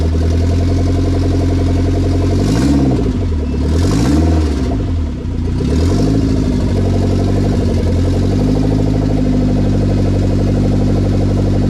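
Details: K20 turbo RHD Honda Civic wagon after its first start, on a startup base map with no radiator fitted: smooth idle broken by three quick throttle blips that rise and fall cleanly, settling back evenly; normal idle and free revving.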